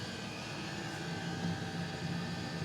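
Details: Custom Webasto water heater and Chinese diesel heater hybrid at max, warmed up in just over 10 minutes; radiator about 90°, burn chamber 140, exhaust about 120, water pipes 60 and 86; steady even roar with constant hum, no surging or popping; normal running.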